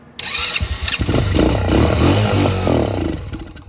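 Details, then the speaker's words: Motorcycle unstarted for a long time, on a jumper pack, fuel filter empty: fires on quick-start spray into the intake, runs a few seconds with an uneven beat, then dies once spray runs out; fuel starvation. "and it runs right out so if you're having a hard time starting your bike or you haven't started it in a long time uh using quick start to get it going"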